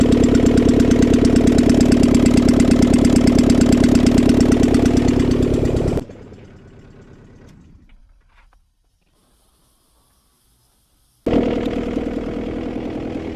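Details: Honda Civic with G23 (H22-based) VTEC engine, exhaust manifold removed, after new Skunk2 lost motion assemblies installed: sharp even tick about three per second over rough idle, then shutoff and restart; ticked since day one, owner unsure if knock or piston slap; new LMAs didn't cure it.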